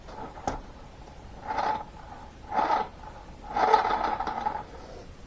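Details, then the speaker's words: Restored RC Jet Ranger helicopter, engine run after reassembly: short rough scraping bursts when rotor is turned, owner suspects gear at the clutch bell sitting slightly higher after remounting, or leftover dirt; not confirmed. "le bruit qu'on entend, c'est au niveau de la cloche, j'ai l'impression. Ça gratte un peu."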